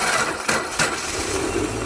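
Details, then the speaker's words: 2007 Subaru Forester, 2.5 L single-cam automatic, cold start right after alternator replacement with battery just under 13 V: slow, labored crank, short chirpy squeaks as it catches; squeal source not pinned down, known existing squeak; charging at 14+ V. "a bit slow but you fired up can hear that wonderful uh squeaky squeaky noise uh but best of all we got a nice 14 plus volts baby"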